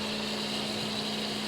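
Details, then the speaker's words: Seat Ibiza Cupra 1.9 TDI PD (BPX) diesel track car, sat unused for a while, battery just reconnected, engine off: cooling fans roar flat out with a steady even rushing whoosh; they were confirmed wired in to run permanently. "fans are on flat out. Just double check, make sure there's not a switch inside and they've not been wired in."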